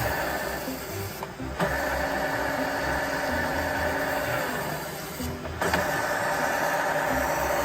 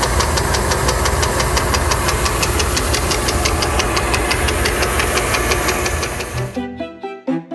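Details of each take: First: ZF 63IV marine gearbox from an early-2000s 36 ft Sea Ray Sundancer with twin 8.1 MerCruiser engines, after a nick on the intermediate drive gear edge was dressed with a Dremel: spins with an even whir and steady tone, no knock. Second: ZF 63IV marine transmission, early-2000s Sea Ray Sundancer with twin 8.1 Mercruiser engines, knocking in one direction only: steady knock about three times a second from a ding on the intermediate drive gear tooth edge, later smoothed with a Dremel.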